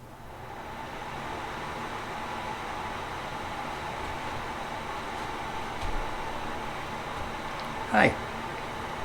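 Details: New 5-in-1 bathroom exhaust fan with heater, light and humidity sensor, 190 CFM rated 1.0 sone, just installed and remote-controlled, heater mode running; steady, even airy whoosh with no rattle, tick or squeal; normal heater fan running.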